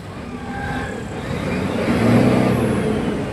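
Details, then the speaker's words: Fuso 6M70 truck diesel after fix of low power, rough idle and check engine light (injector issue found on scan): revs up cleanly and evenly with a steady rising note, no misfire or roughness. "Ibang-iba kanina no. Pino na ngayon oh."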